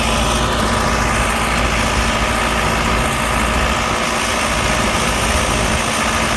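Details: Allis Chalmers 6080 tractor diesel on its first work after an overhaul, pulling a mower deck. A deep, steady drone with an even, unbroken rhythm and no knocks or misses: normal running under load.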